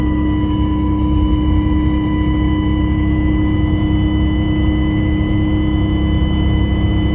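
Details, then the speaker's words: Bus with Allison V730 transmission at cruise: pronounced constant high-pitched whine over steady diesel drone; suspected alternator or power steering, transmission also suspected, source unconfirmed. "oh i got a new high-pitched wine coming out of this thing i mean i remember hearing it before but not that loud it's pretty pronounced i unplugged that speaker it's not that sounds like an alternator wine um"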